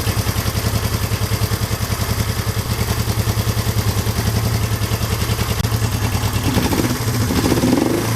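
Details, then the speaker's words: 1972 Honda CL350 twin, one spark plug disconnected, carburetor idle mixture screw being turned out after setting 1,000 rpm: even putter sags and rpm drops as mixture goes lean. "Keep turning it out. There, it just fell off. RPM slowed down."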